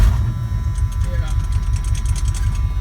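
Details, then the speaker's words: 1982 Chevy 350 that sometimes won't start; removing and reconnecting the battery terminals (owner may replace top post) lets it start, then a low, steady, even engine rumble; why this cures the no-start is unclear. "every now and then that won't work so you gotta go and take off the battery terminals completely and then so put the start back up now I took them off free denim so now I'm gonna see if they'll start right run the key everything turns on normal"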